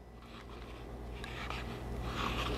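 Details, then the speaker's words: New MTM SGS28 pressure washer wand swivel turned by hand, giving faint gritty grinding in short bursts. Stiffer than a McKillan's swivel, and may loosen up over time. "hear it grinding a little bit right so again that just me may loosen up over time and get better"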